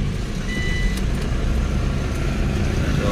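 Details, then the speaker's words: Nissan Sentra after ECU repair and all 4 ignition coils replaced (was misfiring and sometimes stalling while driving): cold start, steady even fast idle with no stumble or misfire, warming up normally; checking whether idle drops. "cold start. Yan natin kung bababa pa yung minor nya."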